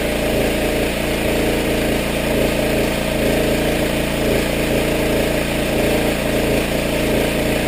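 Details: Power washer small engine after carburetor rebuild, water on, little gas, pressure released: steady even drone with pump running, no surging or stumbling; runs smoothly and healthy, where it ran poorly before.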